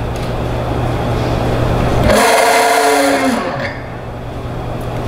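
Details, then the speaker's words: March TE-6T-MD magnetic-drive prewash pump test-run dry after wiring, unlubricated by fluid so loud: steady motor hum with dry whir winding down cleanly, no crackle or sparks; pump motor running normally. "that sounds good we didn't see any Sparks coming out of it it's working great so that's good"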